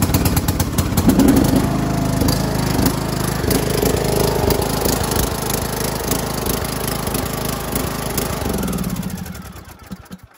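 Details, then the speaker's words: John Deere LA125 mower, Briggs & Stratton 21 hp engine, 282 hours, generic carburetor, smells strongly of gas: lumpy, uneven chugging with irregular pops that sags and dies; rich running, owner 90% sure the carburetor is at fault, genuine Briggs carb ordered. "let me start it up and you'll see how it pops oh let me put that and I think it's the carb 90% sure"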